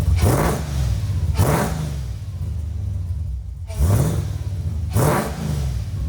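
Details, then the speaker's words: Nissan 350Z with swapped supercharged Hellcat V8, first start after reassembly with a sensor fitted; four sharp blips climb quickly and fall back to a deep, steady idle, revving cleanly without knocks or misfires. "y al fin poder escuchar rugir este motor como se debe aunque sea solo por unos segundos"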